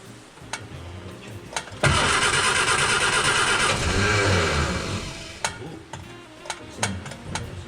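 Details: 1959 Austin Healey Sprite after engine rebuild; ignition timing was 180 degrees out, points reset and plug leads swapped; clicks, then engine catches with a loud burst and runs about two seconds: first successful start, sounds right.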